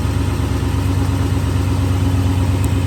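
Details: 2002 Toyota Tundra 2WD V8 idling in park: steady idle with a coarse, gritty grinding pulsing about three times a second. In drive it only occurs in first gear. Cause unknown.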